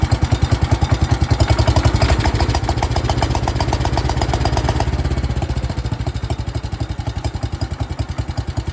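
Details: 1972 John Deere 110 garden tractor "Carl", hard and rough start: single-cylinder thumping at about 3.5 beats per second with lumpy, uneven firing; owner believes it has a blown head gasket, not confirmed.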